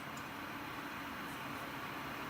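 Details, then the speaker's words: Stock Nvidia GTX 980 reference card blower fan set to 50%, about 2100 rpm: quiet, even airy whoosh with no rattle, buzz or pulsing; normal fan noise. "i'm going to give you fifty percent pan see what that sounds like alright now for apples to apples I would put the camera back there it was last time there abouts that is 50% fan"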